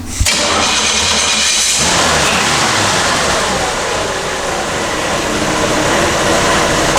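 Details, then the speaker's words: Old car with a newly replaced battery and a taped wire that had smoked, started to show how easily it fires: the starter barely turns before it catches, then settles into a steady, even run without stumbling; healthy start and idle. "I'll go ahead and start it up right now and just let you guys hear just how easy it starts up for how old of a car it is."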